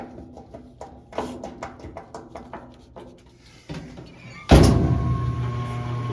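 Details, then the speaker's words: Apartment washer after a temporary lid-switch hack (broken lid switch pushed back together, replacement advised): a few light clicks, then a steady low motor hum as it drains and spins normally. "Now she's draining, now she's spinning. There's your lid switch hack."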